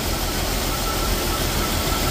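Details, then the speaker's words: Freshly built Jeep XJ 4.0L inline-six, early run before thermostat opens, earlier missing on one cylinder with no check-engine light: steady, even idle with smooth hum, no knocks, stumbles or ticks; running cleanly and healthy. "that's a running engine if you ask me it's smooth too yeah it's smoo out we just got to let it run for a bit"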